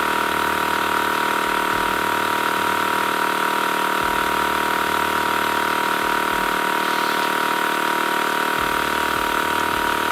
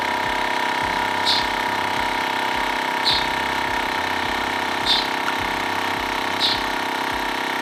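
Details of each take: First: TACKLIFE M1 tire inflator on a car tire at 22.8 psi, aiming for 35 psi: the small compressor drones under a constant airy hiss. The chuck leaks at the valve stem even when screwed fully down, and the tire loses more air than it gains. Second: TACKLIFE M1 portable tire inflator pumping a bike tire toward a 60 psi target: a loud, even buzzing drone with a soft puff about every two seconds and no hiss. The screwed-on connection is sealed and working normally.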